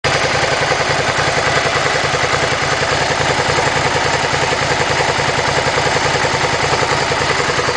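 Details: Suzuki SV650 twin, hot engine at idle: lumpy steady beat with a light ticking clatter on top; abnormal hot-engine noise, cause not identified.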